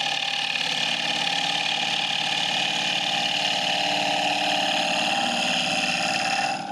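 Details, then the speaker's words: Woodturning lathe motor: steady high hum with fast ripple about three pulses a second, fading as it spins down; set screw and grub screw loosen so the motor pulley walks on the shaft, noise returned. "what happens is the the set screw and the grub screw it's got a two- screw system they both loosen up enough that the pulley can walk back and forth on the motor shaft and create that noise"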